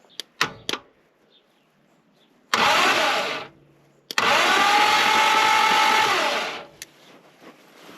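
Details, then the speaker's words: Reliant Scimitar GTE revival project, spark plugs removed, cranking with the ignition apparently off: two long, steady whirring bursts of a few seconds each, no catch or firing. The engine turns over smoothly but does not start. "I think the ignition's off."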